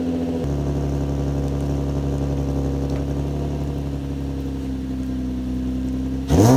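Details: Nissan 350Z after replacing broken test pipes with the OEM catalytic converters: steady, smooth idle with an even exhaust drone, no rattle or ticking, then one clean short blip; exhaust healthy.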